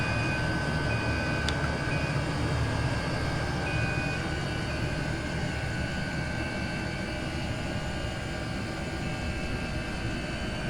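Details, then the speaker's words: Chinese diesel air heater with exhaust feeding a radiator, turned down from setting 6 to setting 2: steady soft combustion roar with faint even hum, quieter than full power, no surging or popping; running smoothly. "Yeah, that noise has changed. It's just on setting 2 now. We had that on 6 a minute ago, which was fun."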